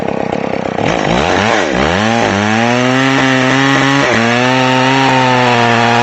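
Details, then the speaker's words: McCulloch Pro Mac 610 chainsaw after clutch inspection and chain sharpening, test cut: winds up strong, holds steady high pitch under load without bogging; healthy cutting. "all right well you can see the uh Pro Max 610 is running great"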